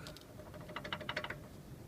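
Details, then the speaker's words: Mazda 3 rear brake caliper with new pads: quick cluster of light metallic clicks as the caliper is shaken; inner pad rattles because its springs weren't spread at pad replacement. "Вот внутренняя колодка начинает вот так вот дребезжать. Вот колодки новые. И вот здесь вот так вот дребезжат. Внешне стоит нормально, вот внутренне стучит."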